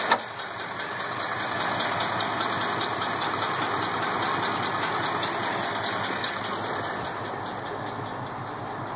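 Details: Uneven idle with a light tick two or three times a second and a cylinder 6 misfire (code P0306). The check engine light had flashed only under acceleration. The cause was a collapsed DOD lifter.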